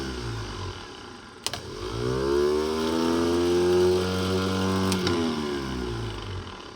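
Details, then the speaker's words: Series 2 Land Rover replacement-removed starter motor tested on the bench, solenoid suspected faulty: sharp snap with sparks, then a whine climbing in pitch as it spins freely, holding even before winding down; motor good, normal starter operation. "We can see if the motor actually works. Oh, we've got sparks. But it's spun."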